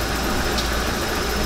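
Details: 1995 RV engine after its seized fuel pump was replaced with a bigger retrofit pump, following a short drive: an even, steady low hum with no misses, knocks or surging; idles smoothly and sounds alright.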